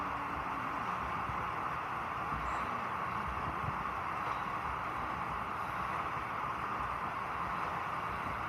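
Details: Clothes dryer that made loud noise while rotating, test run after part replacement: quiet even rumble with soft steady hiss, no knocking or scraping; drum turning normally.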